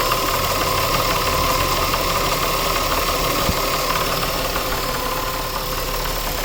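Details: 2000 Nissan Maxima, 203,000 miles, warm idle with even metallic knock about three a second and gritty grinding undertone, only after warm-up; no check engine lights, new alternator, AC fine; owner suspects timing chain or a pulley, unconfirmed.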